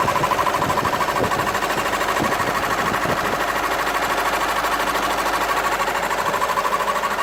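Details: VW 2.0 TDI diesel, engine code CFHD: sporadic steady clatter around three beats per second, tractor-like rattle over the running engine; source unknown.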